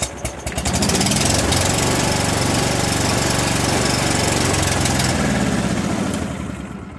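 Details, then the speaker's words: Mid-90s Cub Cadet 1641 with Briggs Vanguard engine, sat 3 years: runs steadily a few seconds then fades and dies; connector at key switch loses contact. "That probably means I lost the connection again. Yep, it does."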